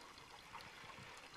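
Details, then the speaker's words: A water manifold fitting dripping while the first water tank fills: a steady trickle and patter of water at the joint, no pump audible. The owner thinks the fitting should have been tightened a little more. "I wish that wouldn't drip. I should probably tighten that down a little"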